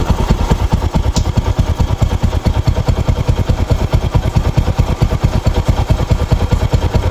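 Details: Rouser 135 motorcycle after repair of its smoking problem, no airbox fitted: a steady, even low putt-putt at idle with no knocking or top-end ticking. It runs smooth and very quiet and the smoke is gone.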